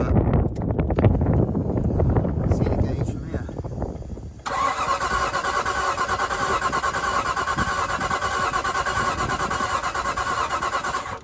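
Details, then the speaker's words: Nissan R33 Skyline RB25DET during compression test, battery booster connected: starter churns slowly with labouring strokes for about four seconds then stops; reading dropped to 80 psi, owner suspects weak battery. "sounds like it's dying a bit now think it went back down to 80 yeah it did I think it's a battery"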